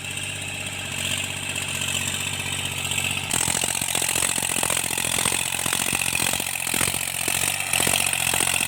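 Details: Tractor diesel under cultivation load after the engine knock was repaired: steady pull with an even beat, only implement rattle on top, no knock; healthy.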